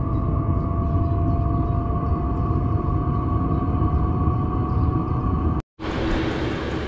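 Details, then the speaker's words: Fuel-burning heater in a Ford Transit camper van, drawing fuel through a filter under the van. Deep, steady combustion roar with a low whistle, hot and working; very loud but calms somewhat at temperature. Normal combustion. "Starting to really go now. Can you hear how loud this is? It is hot, it is working, and once it gets up to temperature, it does calm down a little bit."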